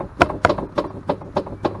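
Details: Club Car Precedent golf cart popping while driving: sharp separate pops, three or four a second, from worn front A-arm inner bushings where the arm attaches to the Delta plates, causing wheel play.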